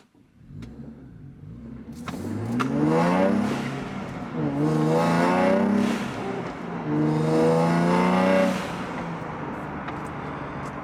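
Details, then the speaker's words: Nissan Z V6 with new full exhaust, tuned ECU, accelerating briskly from lights: three rising pulls through the gears, raspy edge peaking at 3000–4000 rpm mid-range, throttle-dependent, no drone when cruising, note changes at top end; healthy sporty exhaust. "there you go so really that raspiness is right in the mid-range of the talk and it's all Throttle dependent so if you're cruising around normally it's not very raspy there's no drone"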